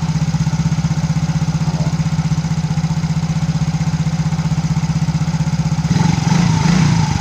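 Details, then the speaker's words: Yamaha Mio GT scooter engine that was smoking, after replacing only the piston rings without replacing the cylinder block; an even, fast idle putter with no ticking or rattle, then a smooth rev blip; the engine now runs smoothly. "sudah saya buktikan cuma ganti ring Piston aja tanpa ganti blok sudah bisa halus yang betul"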